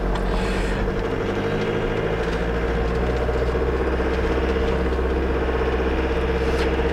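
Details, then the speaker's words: Ford VH Transit diesel van, hot day, starts fine: loud tractor-like diesel knock at idle from retarded injection timing, suspected faulty pump timing (advance) solenoid, code P0149 fuel timing error, with power loss and top speed limited to about 60 mph. "there it is did you get a particularly loud diesel diesel knock yeah basically it just sounds like a"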